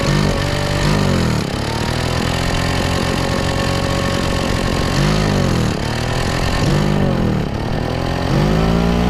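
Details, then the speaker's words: Craftsman two-stroke backpack blower that was pouring raw fuel from the muffler; carburetor had been leaned way out and was readjusted. Started primed on full choke: it catches and keeps running, revving up and settling back in waves. Normal running after the fix. "that oh all right sounds good so I think that fixed it apparently somebody had uh leaned the carburetor way out probably when it was flooding and they were trying to make it run correctly"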